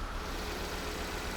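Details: Volvo V70 with newly installed replacement engine and new engine mounts, idling, engine shaking, no check engine light yet: low uneven lumpy pulse with stumbling rhythm; code reader later showed cylinder 4 misfire, one cylinder dropping out.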